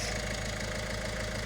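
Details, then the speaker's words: Peugeot Berlingo diesel van after a failed timing chain was replaced, first start: steady, even diesel clatter at idle with no misses or stumbles; runs cleanly, no valve damage. "Yes, Chris, listen to it. Sweet as a nut. Oh, that's nice. Eh? That sounds nice. Yeah, it's not missing."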